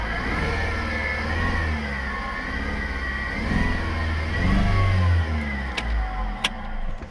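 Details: 2011 Opel Astra engine idling then revving: uneven pulsing beat riding under the note; unusual engine noise, cause unknown.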